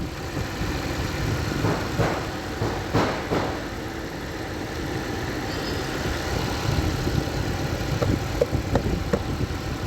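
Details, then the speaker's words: Toyota Camry Hybrid, over 200,000 km, after P0300 misfire fixed by cleaning dirty injectors and replacing the fuel filter: petrol engine idles smoothly with a steady low hum, no misfire stumble, a few light clicks. "अब अल्हम्दुलिल्लाह सब कुछ चला गया। Engine सी भी आवाज खत्म हो गई।"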